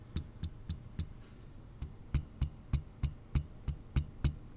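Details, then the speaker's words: Xiaomi Redmi Note 3 Pro phone tapped lightly: sharp knocks about three to four a second, each with a short loose rattle from inside; owner suspects something inside has come loose or broken, not confirmed. "То есть он брякает вот здесь вот в этом месте вот здесь вот в этом месте Вот такие [музыка] брякин прямо брякает то есть вот что-то внутри телефона брякает"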